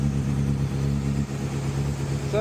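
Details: 2010 Honda CBR600RR after new starter relay solenoid, new battery and oil change, warming up after start: steady, even idle with a smooth mid-pitched drone and no knocks or misses; running normally.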